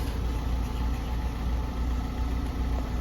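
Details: Chinese petrol vehicle after the fuel pump fix, engine running: low, even idle rumble with no misses, knocks or tapping; normal idle.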